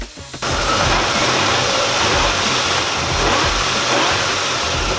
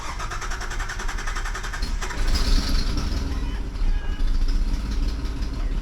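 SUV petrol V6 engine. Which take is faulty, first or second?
second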